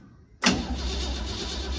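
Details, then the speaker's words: Crosley hot rod parked about 20 years, first turnover on a fresh battery: starter spins engine fast and even with steady compression pulses and no dragging; turns over freely. "that thing sounds like it's ready to start make any oil pressure"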